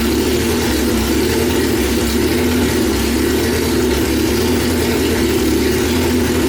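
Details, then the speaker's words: 1995 Honda Civic on E85, idling after a new AEM E85 flex fuel in-tank pump and fuel filter install: steady, even idle with a smooth hum, no stumbling, hesitation or misfire. Running normally. "It's getting pretty late, so I'm just gonna crank it over and turn it on, let it run for a little bit just to make sure that it's running, and then I'm gonna shut it off real quick."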